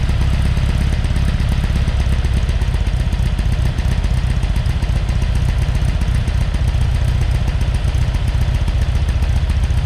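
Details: Freshly rebuilt Porsche 912 flat-four, new old stock Solex carbs, mild cam, minor head work, oil pressure 60 psi cold: deep, even burble at steady idle, no knocks or misses; normal running, though distributor advance is sticking.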